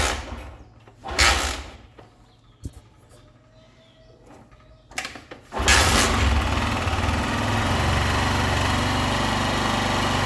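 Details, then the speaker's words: Honda Titan 2000 (125 pushrod engine) after replacing the camshaft lobe, rocker arm and rocker shaft to cure engine noise: catches and settles into a quick even idle with no valve tapping; engine now quiet, idle still to be adjusted. "o motor ficou bem silencioso [Aplausos] agora sumiu aqui é barulhinho de válvula batendo"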